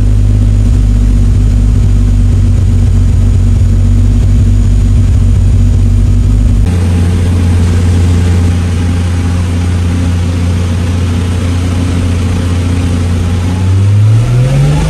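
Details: MK3 Supra, stock block, Haltech standalone after cranking and fuel tables were tuned on a hub dyno: smooth, even idle, then revs climb cleanly with no stumbling or popping. Running is normal.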